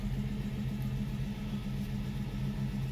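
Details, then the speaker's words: 1967 Mustang, sat 20 years, cold start with new oil pump: uneven, lumpy idle about four beats a second over low rumble; runs rough until warm, owner suspects choke and timing not dialed in. "sounds good she runs a little rough when you first start her if she's cold part of that so I still have a choke working I think"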